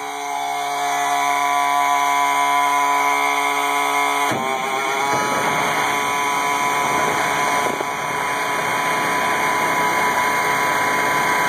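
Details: 1986 AM General M35A2C (7,331 miles, 260 hours) cold start at 26 degrees after about 3 months unstarted; steady cranking whine, catches at about four seconds and settles into an even clattering run, a healthy cold start and idle.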